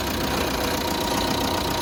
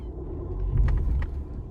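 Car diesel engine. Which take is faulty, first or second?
first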